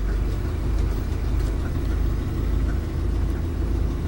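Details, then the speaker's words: Kia K900 with a V8 GDI engine at a salvage auction, jump-started, no warning lights: steady, even low idle rumble with no knocks, misses or hunting, now cranking easier; a slight exhaust leak is heard; normal idle. "she sure seems to run fine see the cranks over and easier now that we started up"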